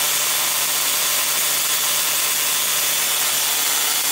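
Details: 555-timer ignition coil driver/tester on a 7 Ah sealed lead-acid battery: a steady, even hissing spark buzz with a faint low hum underneath; the coil is firing consistently.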